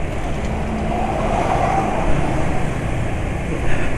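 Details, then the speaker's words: Vespa scooter riding on GGI Maxoil Power B40 oil: even steady engine hum under road noise, fairly smooth, no knocks; a mild ticking noted but not severe. "dan ternyata suara mesin masih lumayan halus kok"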